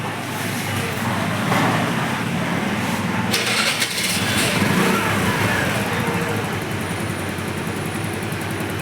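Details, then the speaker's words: 2020 TVS Jupiter BS6 scooter that started then stalled, after reseating the fuel pump and other sockets; settles into a steady, even idle without dying and holds speed cleanly. "బండి అయితే idling కూడా ఆగిపోకుండా మంచి perfect గా నడుస్తుంది. ఇప్పుడైతే ఇబ్బంది లేదు."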